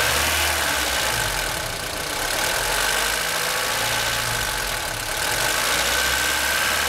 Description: Weird noise coming from the top RHS corner of the engine in my 1996 Aus Delivered Honda Civic EK Cxi D16Y4 engine